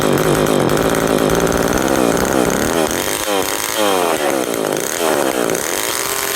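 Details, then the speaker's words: McCulloch 10-10 Automatic two-stroke chainsaw, first start, raspy engine surging up and down and never settling; it runs but won't idle, recoil also needs repair, cause of no-idle not yet found. "yes it does run and it will run but I need to fix the recoil I need to figure out why it won't idle"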